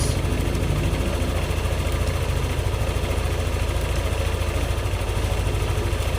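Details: Yamaha Aerox scooter after throttle body and injector cleaning and ISC reset: steady, even low putter at idle with no misses, knocks or hunting; no fault codes, idling cleanly.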